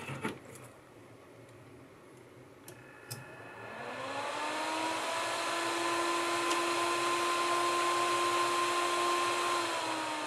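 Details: Giant 2V 150A / 5V 80A power supply being tested after reassembly during a teardown: a few quiet clicks, then the fan spins up with a rising whir and settles into a smooth, steady hum, running normally on about 24 volts.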